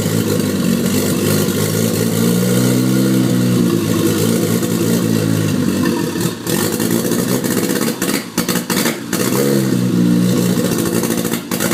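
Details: Toyota MX83 Cressida with a swapped JZX81 1JZ engine: uneven revs with stumbles and ragged dips in the exhaust note, hesitating under throttle; misfire and hesitation, cause not yet found.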